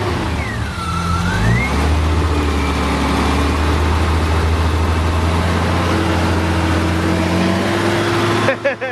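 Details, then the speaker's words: BMW S54 engine freshly installed in a drift car in one day: one quick rev rises and falls, then a steady, even note with no knock or tick. The earlier noise is gone and it runs cleanly. "Yeah, no. It runs. The Cheeto's running again, and the noise is gone."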